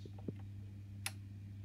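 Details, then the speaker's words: Honeywell heating programmer: heating on gives one click, hot water on gives no click, heating off gives two near-simultaneous clicks, over a soft mains hum. The programmer relays are switching wrongly, a relay fault. "heating off you were hearing the heating relay click off but the hot water II they click on so if you listen carefully here I'll put the heating on you'll hear one click I'll put the hot water on you won't hear a click at all"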